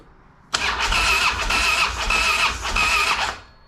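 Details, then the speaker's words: 2007 Harley-Davidson Street Glide with hard starting, cranked with plugs out for compression test on a weak battery; fast even starter whir, no firing; front cylinder reads 140, other 120; low cranking compression. "so we're gonna turn the ignition on and I'm going to crank it but it's not going to start"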